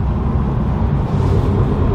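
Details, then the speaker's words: Toyota Supra on a very bumpy road after foam tape was added behind the door panels: low road rumble and thumps, with no rattling from the door panels. "but we are barely hearing anything i don't hear anything at the moment"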